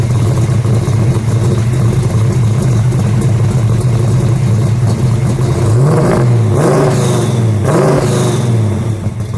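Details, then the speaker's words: 1968 Ford Mustang Shelby GT350 restomod V8 making 550 hp on the dyno: deep lumpy idle, then two quick blips with a light whine rising and falling with revs, sounding almost supercharged; healthy engine. "It's got a little sound to it, almost like it's got a supercharger."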